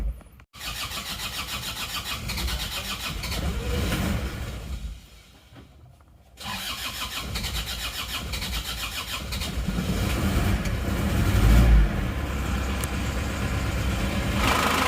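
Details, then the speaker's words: Isuzu Panther diesel after engine rebuild (crankshaft broke a month and 200 km after prior overhaul; clutch lining also replaced): cranks, catches and settles into steady even clatter building slightly with revs; normal running after rebuild. "ini sudah hidup teman-teman hidupnya seperti ini suaranya seperti ini ganti bekas semua"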